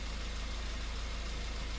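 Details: Honda Fit with idle speed surging up and down at stops, vibration and engine noise: steady low thrum with regular pulsing shake; flow test shows two injectors losing pressure, causing rough idle.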